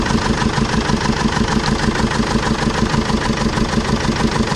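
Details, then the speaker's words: 2005 Jeep Liberty CRD common-rail diesel, past overheating problem, idling on three cylinders: lumpy idle with a regular stumble each firing cycle. Raw fuel smelled in the exhaust, so the owner suspects lost compression in one cylinder rather than the injector. "i can smell raw fuel coming out the exhaust so i don't think it's a fuel injector i think the fuel injector is firing i think we've lost compression in that one cylinder"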